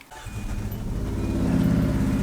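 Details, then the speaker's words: 2003 Hyundai Sonata, many check-engine codes, almost no power: lumpy, shaking idle with an uneven low chuffing beat like a lawn mower or helicopter; consistent multiple-cylinder misfire, later traced to a bad ignition coil. "yep sounds like a helicopter you can see the engine vibration this is a multiple cylinder misfire consistent for sure sounds sounds kind of like a lawn mower"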